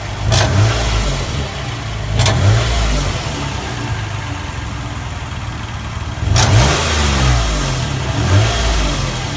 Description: Toyota Sienna 08 clicking sound tapping coming from exhaust